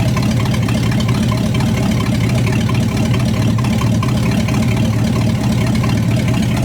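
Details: 1975 Chrysler by Chrysler 360 V8, warming up at idle with fuel leaks just tightened: loud, lumpy idle with an occasional stumble, intermittent misfire; temperature check finds the rear cylinder cooler than the others.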